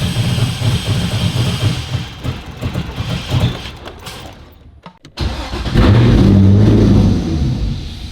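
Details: Flood-damaged 2015 Corvette Z06, 7.0 LS7, sat 7 years with cut sensor wires: engine catches, runs rough and uneven a few seconds, dies, then fires again briefly; starts but stalls, possibly fuel issues.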